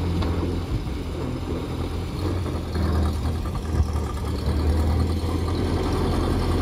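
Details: 1928 Ford Model A four-cylinder, long-sitting car, driving on its own fuel tank after fuel system work, no leaks: low, steady, even engine drone with no knocks or misses; runs healthy.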